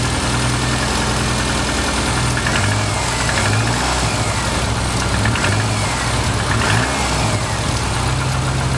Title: Forester engine knocking